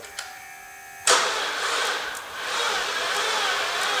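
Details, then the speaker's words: 2013 Chevy Cruze parked about a year, defrosted after minus 30°C, full battery plus booster pack: starter drags and strains, turning over slowly and unevenly; slow crank. "so as you can see it's obviously having a hard time turning over the batteries got full juice"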